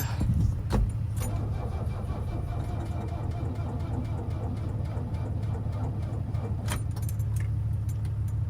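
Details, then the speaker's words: Chevy S-10 with a Mercedes diesel swap, after fitting a bigger turbo, jump-assisted: steady starter churn, turning over evenly but never catching. Days of no-start despite refuelling and trying to prime the pump. "All right, guys, I've been trying to start this thing forever, like a couple of days now. It is a couple of days later. I thought it was out of fuel, filled it up with fuel. Couldn't get it to start, right?"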